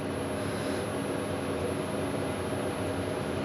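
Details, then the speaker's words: Chinese diesel heater in a camper van, powered from 240 V through a 12 V transformer, lighting up with the glow plug kicking in: a steady, even roar with a low rumble and no pops or surging. Normal ignition. "I can hear the diesel feet are flaming up yeah this is quite normal they normally Peak about 130 Watts"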